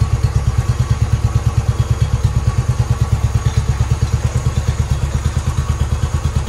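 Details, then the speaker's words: 2010 Royal Enfield Bullet Electra EFI single, 965 miles, unrun for about two years, first start on fresh fuel with a replacement battery and the fuel leak repaired: smoky at first, then an even, strong thump at about three beats a second; normal idle. "it's smoky [Music] [Music] runs nice"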